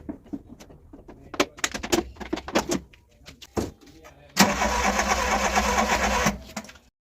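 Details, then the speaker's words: Volkswagen Golf Mk1 with first-time home-rebuilt engine, first start attempt: starter churns about two seconds but engine never catches; fuel pump silent, no fuel reaching engine, relay to be checked; crank no start, no fuel delivery. "Well, it seems we have an issue with the petrol pump, because when I put the car on, the petrol pump doesn't make that petrol pump sound. It's just quiet."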